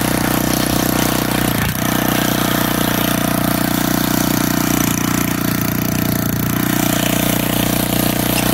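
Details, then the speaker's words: Old auction-bought Montgomery Ward tiller in neutral, just started: the small single runs loud, fast and steady at constant speed with an even buzz and no misses. Running healthy. "all right one neutral I just started it so I don't think it needs any"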